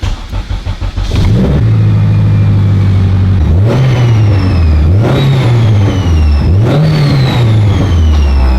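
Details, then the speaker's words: Honda Civic EM1, after swapping in a new Walbro 340 fuel pump for a suspected fuel pump issue: three clean free-revving blips, pitch rising and falling smoothly without stumble; normal revving, sounds way better. "I'm betting she's going to run like a top now. I mean, I hope so. I'm guaranteeing it. Guaranteeing it, huh? Yeah. That sounds sounds way better."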